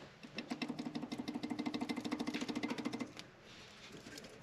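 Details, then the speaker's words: Honda EK sedan engine stopped, oil pan off: quick run of light metallic clicks as the crank is rocked by hand, play in a rod bearing; a second rod also showed movement, both need new bearings. "The other ones don't have any play. I've already pretty much moved the crank. Let me see if I can do that again. So, you can hear that it does have movement."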